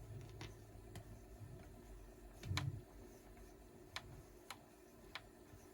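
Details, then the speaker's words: 1973 Ace Tone EC-10 tape echo with new tape fitted: faint sharp ticks about once a second over quiet hiss as the tape loops; a piece of dust on the tape clicking at the heads. "Let's see if it's it had a piece of dust right here. Chink. When I would pass this point, it would still there."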